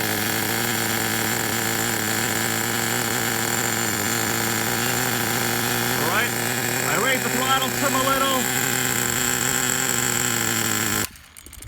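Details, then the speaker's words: 1999 Traxxas T-Maxx Pro 15 nitro engine, not very hot, with a steady high idle that sags and then shuts off on its own; it is later hard to restart. A vacuum leak is suspected but not confirmed. "weird as it's running it just seems to kind of uh go down there and idle and shut down I wonder if we have a vacuum leak"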